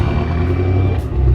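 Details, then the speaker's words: BMW X1 35i, N55 turbo engine with 6-speed, on the E9X platform, bought with a suspected transmission issue and a service engine light on: steady even low rumble, no ticks, knocks or stumbles; idle is good. "does have a service engine light on. The idle's good."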